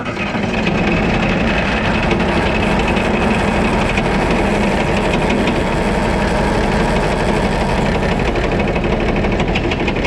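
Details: White 2-155 tractor diesel at idle, restarted after being parked: loud clatter with an uneven knock about three per second. Blow-by, exhaust and oil pressure are normal, cause not yet found, engine work planned.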